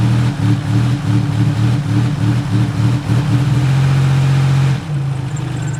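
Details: Buick WE4 with a steady miss at low rpm: uneven idle throb with beats dropping out about three a second. The owner suspected the coil pack or a plug wire, but a replaced coil pack gave the same results.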